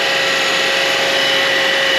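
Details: 2009 Honda Accord after replacing the power steering cooler tube, hoses and serpentine belt: smooth, even whir from the new belt with no chirp, squeal or slap while the steering is turned lock to lock; belt runs normally.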